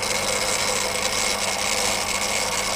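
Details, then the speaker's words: Refurbished Daiwa DR-7500 rotator on a DC-7011 controller, driven into overlap until the limit switches take over so the motor can't burn out: steady high-pitched electric motor whir with even gear buzz, no grinding or catching; healthy. "and we get the overlap and the limit switches take over which is a good thing and their limit shooters are taking over so what we do you can't burn the motor out"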